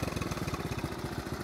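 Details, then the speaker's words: 1970 Honda Trail 70 single idling after sitting several years with gas drained, Sta-Bil added; even quick putter, steady beats, no knocks or misses, normal idle. "I did put some stable in it just this evening I'm sorry yesterday evening but you can see she's uh that sound brings back memories"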